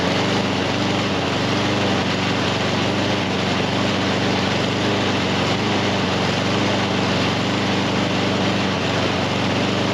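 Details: Husqvarna HU700F mower that won't stay running, after greasing parts and freeing a slightly stuck pin; runs rough with lumpy labouring beat, consistent with choke stuck on.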